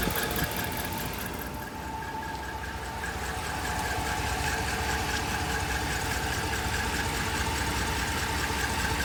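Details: 2010 Dodge Ram 1500 5.7 V8, warm idle: steady high chirp/squeak about twice a second, mainly passenger side behind the engine; lifters just replaced, persists with belt off, only once warm, running full synthetic oil; cause unknown.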